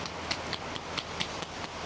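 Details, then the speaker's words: Jaecoo J6 EV rear body pressure-relief vent flap, left and right behind the removed wheel-arch liner, shaken by hand: light plastic clacks, about four or five a second. Heard as rapid rear clacking at 60–100 km/h; fixed by weighting the flap tips with wheel-balance weights. "นี่คือช่องระบายอากาศจะมีทั้งหลังซ้ายแล้วก็หลังขวานะครับเนี่ยเดี๋ยวผมเขย่าให้ดูได้ยินป่ะเนี่ยอย่างเงี้ยแต่มันมันจะไม่ได้ดังขนาดนี้หรอกแต่เวลาวิ่งลมลมมันเหมือนอยู่ในรถอ่ะมันคือลมมันหวนอยู่ใต้ท้องรถอ่ะบางทีมันไปตีให้ใบตรงเนี้ยมันแป๊บๆเนี่ย"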